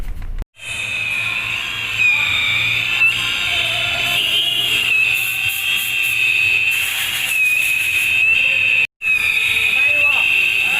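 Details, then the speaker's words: Toyota Revo Cab 4x4 on a lift, front right wheel spun: a steady high-pitched squeal wavering with rotation. The driveshaft seal is rubbing on the driveshaft head. Spray lubrication stopped the noise. "สาเหตุของปัญหาก็คือสิ้นเพลาขับครับหน้าขวานะครับอย่าเสียดสีกับหัวเพลาขับนะครับ"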